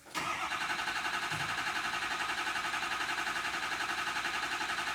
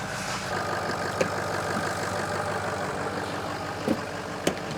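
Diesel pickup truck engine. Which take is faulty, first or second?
first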